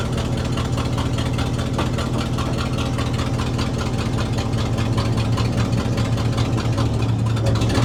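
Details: 1967 Ford/Seagrave fire truck that arrived non-running, now idling on a temporary gravity-fed auxiliary tank plumbed to the carburetor; steady low idle with slightly lumpy, pulsing rumble that keeps going.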